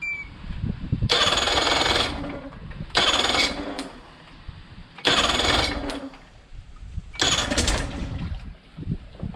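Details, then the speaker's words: 1999 Nissan/Tohatsu 5 hp single-cylinder four-stroke outboard from a saltwater boat, sat for years and reportedly not pumping water. It roars in rough bursts about every two seconds and stumbles between them; the head gasket is blown and it needs a new head. "that's not [Music] good getting out of here the gasket is broken"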